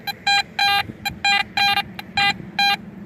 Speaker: a 74 in the 75 the good thing about these sniper calls that you can get right under a bunch of obstacle around a lot of metal and get pretty close to it